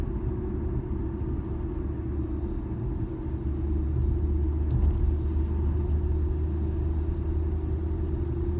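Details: 2013 Infiniti G37S coupe, low droning hum in cabin driving straight, starting around 30 mph and worsening at 50-55 mph; dealer blamed tires, owner doubts it; cause unconfirmed.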